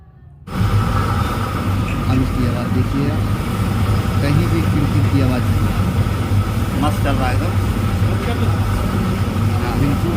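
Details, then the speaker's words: IFB Maxidry 550 dryer after repair of very loud running noise, loose rear screw tightened; smooth, even low hum with no knocks, rattles or scraping, drum turns quietly, no noise left. "कोई भी आवाज़ नहीं है"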